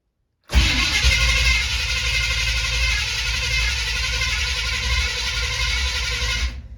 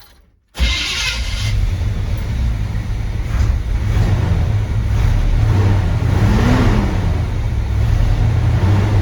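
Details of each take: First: 1970 Chevy C20 with new fuel pump, choke not hooked up: steady fast cranking with even starter churn, no firing, oil pressure coming up; no fuel in it yet so won't start. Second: 1970 C20 truck V8, restarted with timing sounding right, low fuel, warming up and steaming: catches cleanly and holds a deep steady rumble with smooth blips; runs evenly and sounds healthy.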